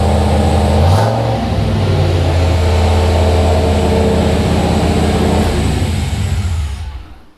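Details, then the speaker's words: Turbo L33 5.3 LS (323 cubic inch) V8 in Blue Ghost S10, first start: steady fast even V8 idle, no misses, well above normal; high idle from very basic untuned base calibration, needs tuning. "there it is that's a healthy 323 cubic inches a little bit of a high blur there yeah and we definitely have to Philly around with that we haven't - no that's bass yeah that's like a that's a very bass tune"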